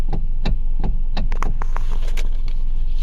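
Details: Hyundai or Kia with electric power steering: sharp dry clicks about three or four a second over a low hum every time the wheel turns, from the worn plastic steering column coupler; fix is replacing that coupler.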